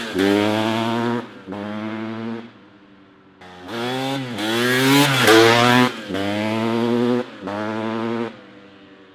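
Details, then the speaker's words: 1994 Kawasaki KX250 two-stroke after engine rebuild with new top end, heat cycle, radiators near temperature; crisp revving in bursts, rising and dropping cleanly with throttle, pulling strongly and evenly; lots of power, everything sounding good, normal running. "this thing's got a ton of power everything sounding good everything's rotting good"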